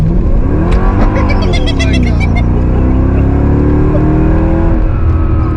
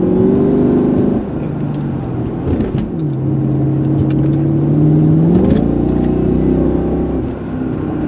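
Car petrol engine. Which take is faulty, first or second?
second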